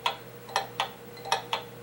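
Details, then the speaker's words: Pendulum clock tilted to the right to test beat: ticks in uneven pairs, about half-second then quarter-second gaps, beat not improving and clock stopping, so the tilt is the wrong direction; badly out of beat. "no it's not improving in fact it's it's stopping so that we're going the wrong direction"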